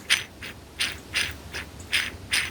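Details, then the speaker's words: Project Whistler bicycle, crank turned by hand: scratchy, squawking rasp repeating about every 0.4 seconds, like Daffy Duck; dry bottom bracket bearings. "sounds a bit like Daffy Duck or at least the bearings are dry"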